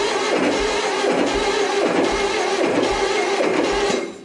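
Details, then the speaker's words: 2276cc VW dune buggy engine on first run test, three plugs out and one in number 1 for timing light: steady starter cranking, even chugs about every 0.6 s, never catches; timing light doesn't blink, no spark, owner suspects bad wires. "got no blinkage. That's not good. That's not good. I don't have any points. Maybe the wires are bad."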